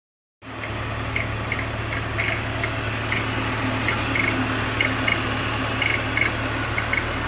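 Steady idle with a light, fairly quick ticking layered on top, about three to four per second; some noise present, cause unclear.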